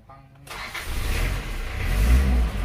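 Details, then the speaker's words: Isuzu Panther diesel after no-start troubleshooting (fuel bled up from tank, glow plugs heated before cranking): brief crank, catches within a second and settles into a low rising rumble; normal diesel start, otherwise injection pump or compression suspected. "Nah, harusnya nyala seperti ini teman-teman."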